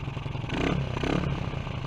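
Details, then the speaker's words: Honda CG125 project bike, exhaust freshly sealed: single-cylinder thump rises with throttle then sags and stumbles, bogging down a little; much of the audible airy, air-through-water noise is from the air filter. "it's bogging down a little but i think a lot of what you can hear on the video is this filter"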